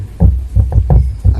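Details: Samsung CRT TV with no-sound fault, audio amplifier IC getting positive supply at both points: deep low throbbing hum through the speaker, showing the amplifier stage passes signal; owner reports sound only comes after half an hour.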